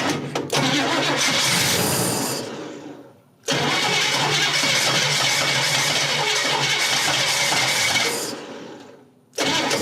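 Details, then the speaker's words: 1957 Chevrolet Bel Air V8 that sat 15-20 years and had a locked-up engine, first start after cranking to fill the carb bowl; runs roughly in hissy bursts that sag and die from a vacuum leak, then timing pulled back. "Oh, that's my fault. We got a vacuum leak."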